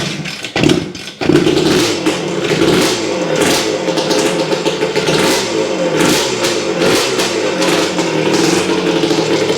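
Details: Honda CR250M Elsinore two-stroke first start after years of storage, after kickstarter repair, a different spark plug and refilling the carburetor, on a cold ~30° morning in the shop; a couple of false hits, then it catches and revs in crisp, uneven, rattly bursts.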